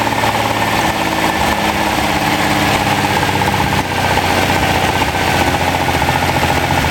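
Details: Freshly rebuilt Ferrari Dino 246 GT V6 running on a test stand before final installation, with oil pressure, water temperature and exhaust being checked: even, steady idle with a smooth burble, no knocks or misses; normal idle.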